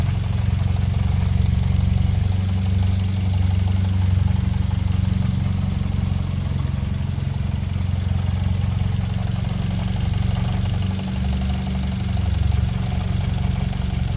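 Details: 2009 Mitsubishi Lancer Ralliart, 72k, SST dual-clutch, present since new: steady low idle with light even rattle on top; normal engine belt and SST transmission noise.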